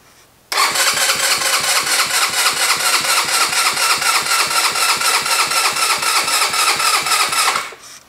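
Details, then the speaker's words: GY6 engine with vacuum-operated fuel pump, fairly charged battery: about seven seconds of even rapid starter cranking that never catches, fuel only partly drawn up and battery getting low. Extended cranking, no start; vacuum pump not priming. "I want to show you how long it takes for a vacuum operated fuel pump to start pumping that gas up"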